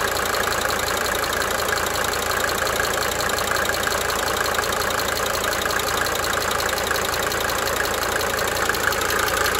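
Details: 1992 Mercedes-Benz 300D 2.5 Turbo diesel at idle: light, uneven cyclic injector ticking fading in and out over steady clatter.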